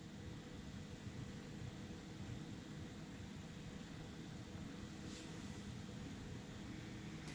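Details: Artillery Sidewinder 3D printer printing: low, steady hum with soft, even motor whir, no knocks or grinding. Normal printing operation.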